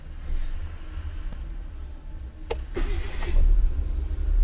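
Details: Hyundai Atos after replacing the starter motor drive (bendix), whose worn, smooth splines caused a noise and failed first starts: brief crank, engine catches at once and builds to steady idle, no grinding or whirring; clean start.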